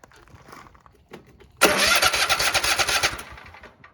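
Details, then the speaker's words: Nearly new Cub Cadet ZTS2 zero-turn mower that was losing ignition, cranked with both spark plugs unhooked: starter spins the engine at an even, rapid chug without catching; normal cranking. "it just spins over. And that's what it should do. It doesn't have the spark plugs hooked up."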